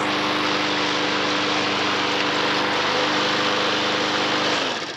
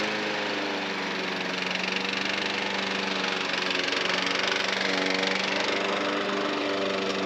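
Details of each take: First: Non-runner lawnmower (self-drive, missing drive handle) started on fresh fuel after old fuel evaporated: smooth, even buzz at constant speed with no stumbles or rattles, then clean shutdown; healthy runner, drive untested. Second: Non-runner lawnmower engine (Honda HR173 or Kubota 5 hp OHV) idles with an uneven, surging beat and speed dips; hunting at the low end points to the idle jet/primary circuit, suspected not confirmed.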